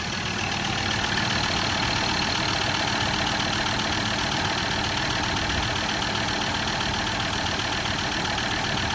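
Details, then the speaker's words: Ford Ranger 3.2L automatic (P5AT) diesel after all injectors were replaced for ticking, humming and top oil leaks; smoky start, then even clatter at steady idle with no ticking. Normal diesel idle. "There you go. Smoky. Oh, that was good. That sounds good. No ticking noise."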